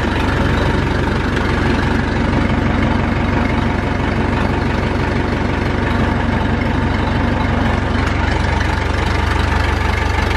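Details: Massey Ferguson tractor with four-cylinder Perkins diesel, started after sitting, no smoke: steady, even low diesel clatter at idle, about three beats a second, no stumbles or knocks; normal idle.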